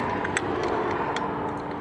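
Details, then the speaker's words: Restored Mercedes Unimog diesel, cold start attempt on a roughly 103-degree day, fuel system being bled: steady low hum with faint quick ticking as the electric pump primes normally and fuel reaches the filters. "oh was it pump pumping uh-huh oh yeah I hear it now so we'll see how long that [Applause] takes yeah it's working now got fuel on the filters"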